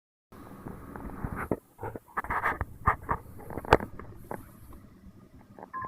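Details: Xbox One optical drive: irregular clicks and scraping bursts with no steady spin; noise began on day two, stopped after a week, returned worse a month later, and drive no longer reads discs.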